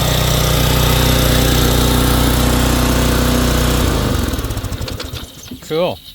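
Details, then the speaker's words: Simoniz 3000psi pressure washer with a Kohler 6.5hp horizontal-shaft engine, run with water hooked up after a carburetor cleaning, having sat a few years with stale gas. Runs steady and even for about four seconds, then shuts off and coasts down: normal running. "All right, so that sounds good. I'm going to take it down, take it outside, set up the camera, put water on it, see if it pumps anything."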